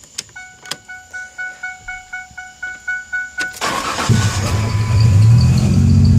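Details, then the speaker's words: 1998 Ford Ranger 3.0: a chime ticks steadily, then the engine catches with a sharp pop and settles into an uneven idle; backfire on starting with a bad misfire. "1998 Ford Ranger 3.0 I'm having issues with backfiring upon starting and a very bad misfire"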